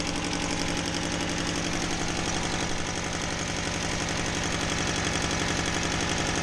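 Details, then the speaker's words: Honda Civic D16Y7 petrol engine with an exhaust manifold leak: lumpy uneven idle while running on two of four cylinders, because spark plugs were left unplugged. "oh you know why it's running rough oh god i unplug the spark plugs"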